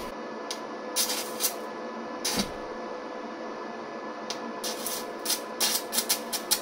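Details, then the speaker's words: Vevor MIG-250 welder in stick mode with a contact electrode at about 9 A, far below recommended current: sputtering crackling arc with dead gaps, rod sticking to the work. "it tends to stick but it somehow WS but definitely isn't acting as a contact vertile electrode"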